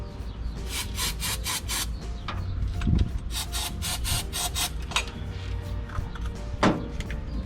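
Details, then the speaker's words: Chevelle that sat in a barn 15+ years and caught fire on its last run: the starter churns in quick bursts but never catches. Fuel has not reached it yet, and the fuel pump is suspected of barely pumping. "Almost there, almost there. A little more. Part to the coil. Hasn't gotten fuel yet. Come on."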